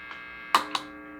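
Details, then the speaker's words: Guitar amp plugged into an ungrounded two-prong outlet: steady buzzy mains hum not from pedals; a noise suppressor removes it. "Ahí tenemos el zumbido otra vez."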